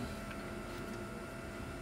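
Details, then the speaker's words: Swiftech Apogee Drive II pump in a water-cooled BitFenix Prodigy home server with its side panels off, running to work out air bubbles: a faint, steady high-pitched whine over a soft hum. The owner expects the thick panels may muffle it. "kind of got a little bit of a high wine it's also in a small thing small system"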